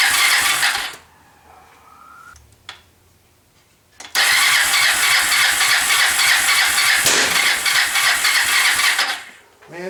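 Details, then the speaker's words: Kawasaki Lakota 300 single after top-end rebuild, first start on choke in neutral: choked cranking sputters and catches, then harsh uneven hissing run; cam timing was 180 degrees out. "I figured out what was wrong with it. I had the timing 180 degrees out."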